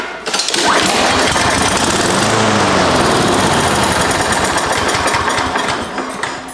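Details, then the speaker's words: Husqvarna push mower that sat over 4 years, fuel poured directly into carb with intake removed: engine catches and chatters unevenly a few seconds then fades; runs only when primed, carburetor to be torn apart next to find why. "yep just needed a little bit of extra fuel"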